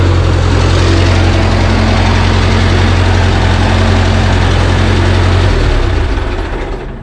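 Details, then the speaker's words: JLG 40G manlift, kill switch bypassed, on ground control: deep, steady, even idle hum with no misses or knocks before shutting off; normal idle. "okay so platform or uh ground man this thing runs good"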